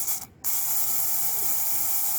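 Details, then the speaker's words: Repaired seized electric lift pump from a Perkins engine, bench-run on 12 V battery: after a brief gap, an even, steady whirring hiss with no catching or stalling; pump running freely and normally. "suaranya jelas yaitu bagian totalnya motor tasnya nah ini kondisi normal seperti ini hingga bisa muter sama sekali"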